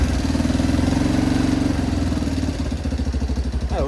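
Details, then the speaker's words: Yamaha Big Bear 350 ATV single-cylinder, parked four years with ethanol fuel, started on the reserve setting. Settles into a steady, even idle thump at about four beats a second with no misses or knocks; normal idle. "even idols I can't ask for any more than that that thing sounds good"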